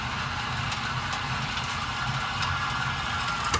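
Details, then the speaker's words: 2022 Zinger 328SB travel trailer stabilizer jack: steady electric motor whine over a low hum, then a strained change and cutoff as the jack takes load on the ground; release the switch at that point, since lifting the trailer breaks the jacks. "as soon as you hear that pressure go ahead and let go uh they're not meant to raise your unit they're just meant to stabilize"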